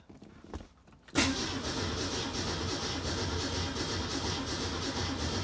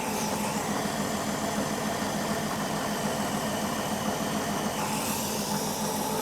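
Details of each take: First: 1967 Ford Mustang with Holley Sniper 1100 EFI, after an ECU power cycle: starter churns steadily over four seconds but the engine never catches; strong fuel smell, owner suspects flooding and an EFI setting fault. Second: 1967 Mustang with a Holley Sniper 1100 EFI, earlier not running, being troubleshot: an even, settled idle with a steady hiss over a soft mid rumble and no misses or stumbles, so the engine is running healthily.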